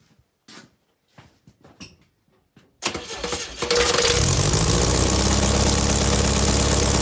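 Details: VW Beetle air-cooled flat-four under restoration, alternator refitted after it smoked, oil checked: brief crank, fires and holds a steady even idle, no misses or knocks; exhaust not fully connected and leaking, smells of exhaust not burnt wires.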